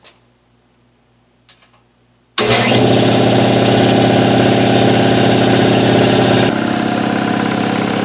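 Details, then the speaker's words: Ingersoll Rand SS5 5hp 80-gallon shop air compressor after oil change, air filter and belt replacement, tank drained to 0, pressure switch cycles 90 to 135 psi: kicks on into steady, even pumping chug with faint whistle; normal start-up. "Pressure switch is set to off. This unit cycles at 90, and then it cuts off at 135."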